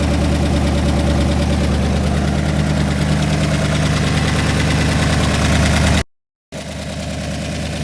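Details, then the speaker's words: Rebuilt engine on first start after reinstallation, coil pack not yet bolted down and cam sync not cinched: steady, even idle with a firm low rumble and no knock or misfire; runs well, though the air-fuel ratio reads 11.1:1, rich on the driver's side. "So it's running good again, although for some reason the idle says it's 11:10 to 1."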